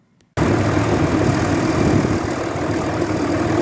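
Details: 2003 Dodge Ram 3500 dually diesel idling after fluid refill and oil change, power steering now working: steady even idle clatter, no knocks or whines, no leaks seen; sounds healthy.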